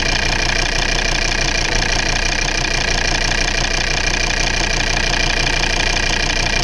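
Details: Volvo V70 2.4D P3 diesel idling roughly with an uneven lumpy beat and shaking, misfire from a faulty injector wiring loom; wiggling the cable restored firing, no injector codes found.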